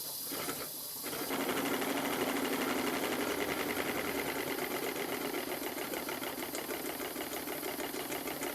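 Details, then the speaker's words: Stuart triple expansion model steam engine on live steam after warm-up, turned over to clear condensate, previously run in on compressed air and now a bit looser, slight leak around high pressure cylinder; brisk even chuffing and light ticking settling into a smooth beat, normal running. "It seems to run very well indeed on steam. It's a bit looser than it was when I first bought it, because I've run it quite a few times on compressed air just to run it in properly."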